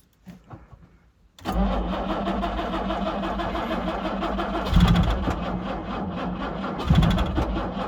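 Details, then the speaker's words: 1968 Jaguar E-type Series 1.5 convertible sitting about two years, plugs cleaned, jump pack on, choke used: starter turns over sluggishly and unevenly without catching; weak battery suspected, later runs on not all cylinders with oil pressure. "I think we need a better battery so let me get another one we'll hook it up and sort of connect them together and see if that will get this going"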